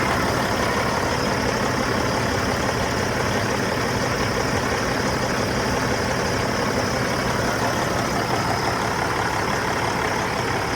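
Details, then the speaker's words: Freightliner FLD, C15 diesel, after an oil and filter change and a new fuel filter: steady, even idle with no misfire, knock or hunting and 60 lb oil pressure at idle. Normal idle. "But yeah, I mean, seems pretty good sitting there. 60 lb oil pressure at idle 60 two."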